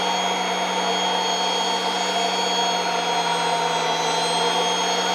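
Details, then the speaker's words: Kirby Avalir vacuum with air-driven turbo sander on the stretch hose, unstretched at three feet: steady, even high whine with no surging or dropouts, sander spinning at full healthy speed before stretching reduces airflow and speed. "i'm gonna let you hear it with it unstretched and then i'll let you hear it with it in stretch and you'll hear a massive difference right so this is sander unstretched this is just three foot"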